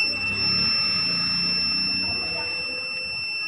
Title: Luminous eco Watt 850va continue beep sound and No main sensing problem